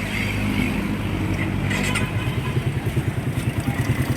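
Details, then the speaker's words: Recently bought motorcycle with 30,000 on it, checked before a long trip, just started: uneven pulsing idle with a loose clattering rattle riding on the beat; the mechanic calls the engine noise abnormal. "Ito yung kay sir, may tunog talaga ang kay sir. Meron talaga po? Meron."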